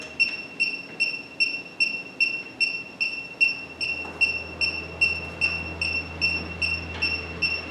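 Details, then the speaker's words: 1965 Chevy Impala with recently installed Classic Auto Air system: handheld refrigerant leak detector beeps louder and fast, about 2.5 chirps a second, at an A/C fitting joint; refrigerant leak found there. "Alright, so you can hear the louder beeping here at this joint. So that's definitely my leak."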